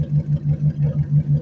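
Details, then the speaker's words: Junked Dodge Dakota parts truck, likely V8, idling with its exhaust cut open and no heat shield; deep, even burble of steady loping pulses with no knocks or misses; normal idle. "So, it I don't know if you can hear it. It sounds amazing actually."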